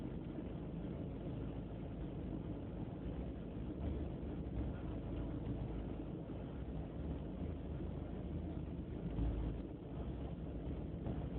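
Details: BMW E36 318ti petrol engine: uneven, lumpy idle with a wavering low rumble and irregular pulses; rough idle only slightly improved after replacing the idle control valve, cause unclear.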